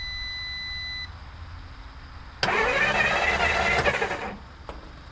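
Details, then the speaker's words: 1954 Dodge Coronet Poly V8, revived after 42 years garaged, quits after running; starter spins it steadily about two seconds without firing or catching; cranks but no start, owner suspects lost spark at the points, to be checked. "I think we lost spark, folks. [Applause] Yep. We lost spark points."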